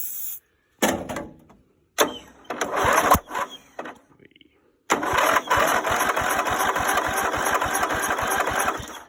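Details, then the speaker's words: Greenfield Model 11 21st anniversary ride-on mower, Briggs & Stratton 11hp, sat in pieces 5+ years: rapid cranking with uneven bursts of firing and a sharp pop back through the carburettor; tries to catch but won't run. "Well, heard something, so I wouldn't say she's running yet, but definitely something's firing."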